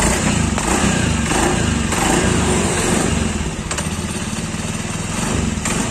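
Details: Honda Beat scooter after fixing a stiff kick starter: engine runs at a steady, even idle with a regular beat and no knocks or misfires; sounds healthy.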